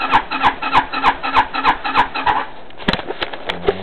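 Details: 260cc scooter with a new carburetor fitted: an even starter chugging of about three beats a second that stops without firing, a crank with no start. Owner is unsure of the jetting; cause is not confirmed.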